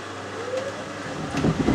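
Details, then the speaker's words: Miele W562 washer, Automatic 40°C woollens cycle with Water Plus and Soak, mixed hoodies and jumpers, spin bursts (around 600 rpm) before 900 rpm: rising rumble then heavy uneven thumping bursts. Unbalanced load during spin. "Yeah, 3 minutes to go, so it does do three bursts before going up to 900. Uh-oh, no, unbalanced."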